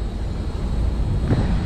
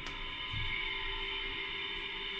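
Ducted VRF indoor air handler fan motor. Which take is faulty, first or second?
second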